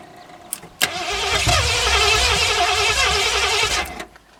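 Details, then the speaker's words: Sharp carburetor backfire while cranking a 1981 Mustang 5.0 parked since 1996, then the starter churns and it catches roughly and dies; fuel supply was just restored after the tank petcock was left closed. "If your carb ever does that, backfires, catches on fire, hold it wide open and keep cranking. The engine suction will pull the fire out."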